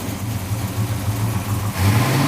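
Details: 1970 Dodge Challenger 318 V8, first start after remarking the balancer because timing set to 30° was actually 60°: catches and revs up smoothly with an even low beat and no pinging; normal start and rev.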